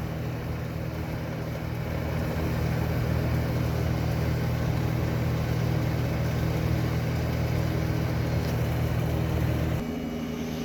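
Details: Probably 1976 Eaton Viking dehumidifier with homemade plywood front panel, after panel vibration fix, running a while and collecting water: steady low mains hum from compressor under even fan rush, no knocks or rattles; running normally.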